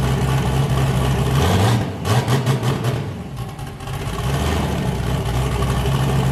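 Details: Boosted car "James Brown", new cam fitted after a 23 psi pull blew a coupler off, freshly started: deep, lumpy V8 idle with an uneven loping chop and a brief dip midway, all cylinders firing. Normal choppy cam idle.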